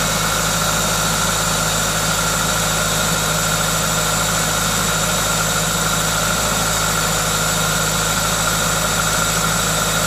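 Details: Toyota 2ZZ-GE engine: steady, even idle with a constant airy hiss from the aftermarket induction kit, no knocks or ticks; normal, healthy idle.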